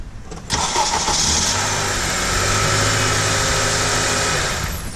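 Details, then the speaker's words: 2008 Honda Odyssey after starter motor replacement (old starter's brushes worn away and burnt, causing an intermittent weak crank): strong, even crank for about half a second, then it catches and settles into a smooth steady idle; normal crank and start. "do it a couple of times make sure we got a long hard crank that sounds absolutely beautiful for me"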